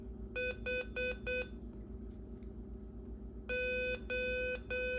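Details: MFJ Pacesetter electronic keyer running with the 8044 chip taken from an HK5A clone keyer: clean steady beeps, short groups then longer dashes, even pitch, crisp keying, no stray dits; chip and keyer working properly.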